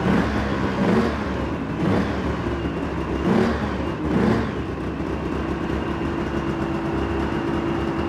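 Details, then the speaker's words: Polaris Ultra two-stroke, recently started and possibly still cold, run from a temporary fuel jug: steady fast idle with constant buzzing that never settles; idle seems high, perhaps because it's still cold. "that is a bit of a high idle it can still be cold who knows"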